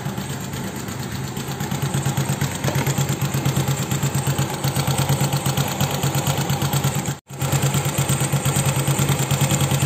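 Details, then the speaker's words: Honda Beat carburetor scooter just started after replacing valve rocker arms and pins: even, steady idle putter, no top-end tapping over exhaust beat; loud head noise from before is gone, engine quiet. "suara motor ini udah adem lagi ya lihatnya udah nggak ada suara Aduh suara berisik lagi kayak sebelumnya itu kalau nyala tuh berisik banget"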